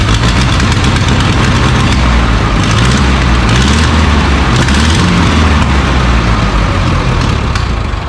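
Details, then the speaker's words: Carbureted skid loader engine: low uneven idle with irregular lumpy pulses, a bit smoother than before but still rough; air leak or sticking float suspected. "Nope. Well, it sounded better."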